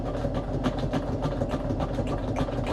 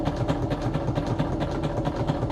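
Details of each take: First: Sewing machine stitching through stiff acetate sheet with sequins for an embellishment box wrap: quick steady clatter about three and a half stitches a second, dull thump each stroke; thumping is normal when sewing acetate, not a fault. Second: Sewing machine stitching through stiff acetate sheet holding sequins. Even, rapid thumping of about five a second as the needle punches through; normal for this material, not a fault.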